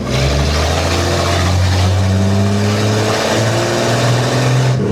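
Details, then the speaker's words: 1948 Chevy Stylemaster on a hot UK test drive after repairs (alternator earth cable, new throttle cable): strong clean pull, deep exhaust note rising smoothly under load, no misses or knocks, though in the wrong gear; healthy. "Well, it sounded nice. It's a shame I was in the wrong gear."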